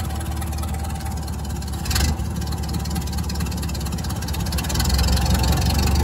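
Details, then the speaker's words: 1929 Ford Model A Town Sedan, four-cylinder, first start after 35-40 years stored, idling with clutch pushed in: rough gritty whirr over the lumpy beat, a worn clutch throwout bearing. "clutch in. You can hear the thrust bearing is in pretty rough"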